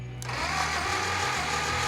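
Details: Brass-era Model T engine (4.5:1 compression) cranked by jumping the starter from a battery for a compression test: steady whirring crank with even low pulses; reading about 45–50 psi, acceptable for this old engine.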